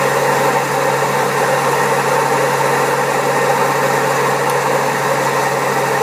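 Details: Servis Caress 1300 A washing machine spinning at 1300 rpm, also has a creaky pump: steady heavy roar with constant low hum, rough and unbroken; drum bearings badly worn.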